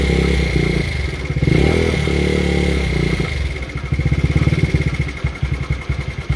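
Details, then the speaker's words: Taotao GY6 50cc scooter, long unused, just started after starter and relay work; revs unevenly with choppy stumbling pulses, hanging then picking up on throttle, rough running, vacuum leak and sticking carburetor suspected. "sounds like it has a vacuum leak somewhere but it is throttling up sounds like the carb is getting very stuck"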